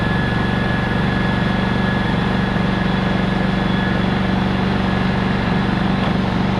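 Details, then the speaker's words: Honda EX1000 generator that sat for years, after reassembly: starts without trouble and runs steadily under a vacuum cleaner load, no misses or knocks. "all back together starts no problem runs the vacuum we're good to go"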